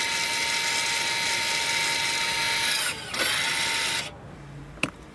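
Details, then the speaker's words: Toyota/Lexus electric parking brake leaving rear brake service mode by pulling and holding the button, brake pedal not pressed. The rear motors give a smooth, steady high whir for about four seconds, then stop as the brake returns to position. Normal parking brake motor operation. "You will hear the motor noise in the back of the vehicle. This means that the parking brake gets back to its position."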